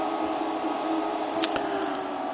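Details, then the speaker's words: Arctic Air Ultra cooler, 5.5 cm fan at third/maximum speed (default when switched on), air blowing out the front vent: steady even rush of air with soft constant hum, no rattles or scraping; normal fan running. "this unit, like you can hear, it's throwing the air outside through this vent to the front part."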